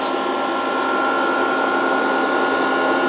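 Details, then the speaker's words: VFD cooling fan running normally during capacitor reforming after long storage; input raised to 140 V, lamp going out as capacitors charge. Steady airy whoosh with a thin constant tone near 1.4 kHz, no rubbing or ticking. "Oh, it just the fan came on under voltage. Okay, that makes sense."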